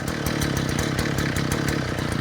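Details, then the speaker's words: Small engine left running: runs rough and uneven, speed sagging, and bogs at full throttle. It appears to drip gas from the bottom of the carburetor; owner plans to replace the fuel line and maybe the carburetor. "It sounds pretty good other than Oh, it's starting to bog down a little bit now. But, uh, other than the, um, you know, kind of bogs on full"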